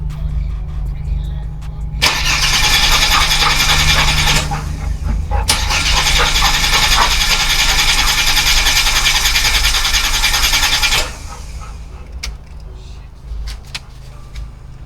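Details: Holden VY Commodore (listed as both 3.8 V6 and 304 V8), parked 7 years with possible rat damage to wiring and hoses. Fuel pump suspected, relays refitted, new dash cluster. Starter churns at a steady beat in two long bursts but never catches: crank, no start.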